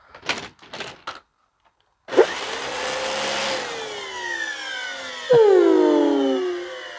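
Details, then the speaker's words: Dyson DC25 found at the curb, messy and dusty. The motor whirs up, then a loud hollow hooting tone slides down in pitch as air escapes past the poorly sealed exhaust filter. "so that hooting that you hear is from the poor seal of the exhaust filter I mean that is that's hilarious"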